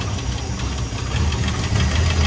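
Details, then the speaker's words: 1970 International Scout engine, cold and warming up, no muffler or exhaust: loud rough idle with a light tick on each firing beat; owner hopes it is valve train tick and plans to pull the valve cover. "all right so you can hear it it's got a what i'm hoping is a valve train tick at some point i do i think i'm going to pull the valve cover and just check it out"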